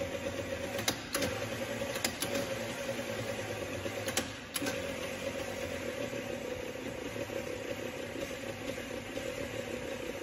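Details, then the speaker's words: Failing starter motor on a bench battery, amperage graphed on an oscilloscope: thin electric whir with sharp solenoid clicks, starter labouring and slowing while current draw climbs as it fights. "you can see the amperage is starting to jump or it's climbing as this as the starter motor is slowing down it's really fighting so it starts to draw more and more"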